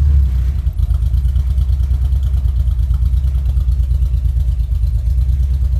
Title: 2.3t misfire